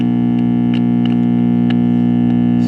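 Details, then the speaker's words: 1945 R-100/URR three-band military "morale booster" receiver brought up slowly on a variac to about 60 volts and a little higher: a loud, steady low mains hum drowns everything out, so the filter capacitors appear totally dead; recap planned. "i'm at about 60 volts and i've got this is 12 volts i'm on the capacitor and it just appears the filters are totally dead if i go up a little higher"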